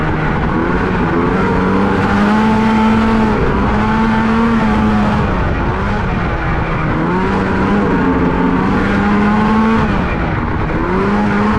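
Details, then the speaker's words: 1989 Honda Pilot with swapped Ski-Doo 670 snowmobile two-stroke, driven in sand with paddle tires: buzzes and surges unevenly, revs hunting without pulling, feels like running on one cylinder; owner suspects a fouled plug after it loaded up. "This thing's definitely feels like it's only running on one cylinder. It's fogg or something."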